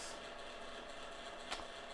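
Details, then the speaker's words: Kodak Advantix FD300 APS film drive loading and transporting film: continuous, even mechanical buzz with a faint rattle, crunchy snapping and whipping sounds; did not sound right, yet the scanner worked, cause of the buzz unknown. "has a kind of crunchy sound which doesn't sound right to me buzzing sound snapping sound whipping sound"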